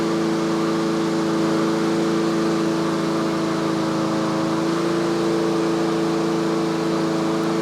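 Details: Yard Machines 21-inch self-propelled push mower during a tune-up, warmed up, about 3300 rpm on an inductive tachometer, the usual setting; steady, even pitch with no misses or surging, running clean.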